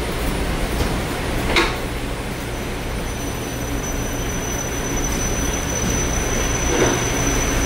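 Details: Haughton Type 601 DC gearless traction elevator machine, 1987, 104 hp, Schindler modernized, 1200 FPM (6 m/s), 34 floors, recorded in machine room: smooth steady hum, faint thin whine, couple of light clicks during a trip; normal running.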